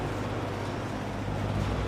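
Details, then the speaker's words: 1963 GE F15W13 three-speed electrically reversible box fan on high; steady, even rush of air over a low motor hum, no rattles or scraping: quiet, smooth normal running. "These old fans really move the air, and they're quiet and they're smooth."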